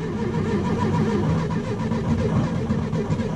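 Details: VW Beetle: steady churning crank with an even low pulse for several seconds, engine spins but never catches or fires.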